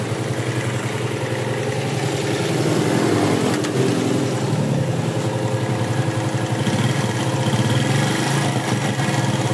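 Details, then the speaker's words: Yamaha Jupiter Z, dead with seized engine previously rough and smoky, after engine rebuild: small single putters evenly at idle, slight swell then settles, no knock or rattle; runs smooth and normal. "ya sekarang motornya sudah nyala dan nyala halus normal ya"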